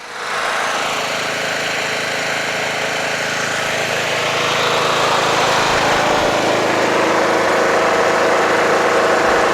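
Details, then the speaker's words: Toro Wheel Horse 1238XL lawn tractor after carburetor replacement, restarted by jumping the busted solenoid: steady even idle with constant hum, no misses, knocks or hunting; charging battery at 13 volts and rising. "man just change that carburetor started right up"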